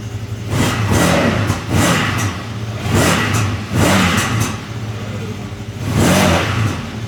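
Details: CFMOTO after fixing a no-throttle fault by greasing the connector with dielectric grease to keep water out: engine answers each throttle blip, rising and falling cleanly every couple of seconds with no stumble; normal revving.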